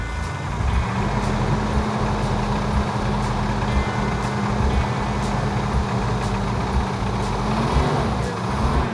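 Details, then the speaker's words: Plymouth Cuda with a fresh 340 V8 suspected sabotaged with sand: sharp metallic clanks about once a second over a rough-running engine, worsening the longer it runs; source unclear, valve train, lifters, torque converter/flex plate or bottom end suspected. "This has a metallic clanking sound to it. It's so loud that I can't tell whether it's in the valve train, if it's in the lifters, if it's telegraphing out of the torque converter where maybe the flex plate's hitting the shield."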